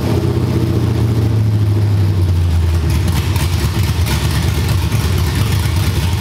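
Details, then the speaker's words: Cammed LS V8 in a G-body: deep lumpy rumble settles to an even idle, no popping, flames, white smoke or heavy gas smell, cleanest it has ever run. "this time it wasn't popping it wasn't shooting flames it wasn't doing nothing that was the cleanest this car has ever ran like literally no smoke no heavy gas smell"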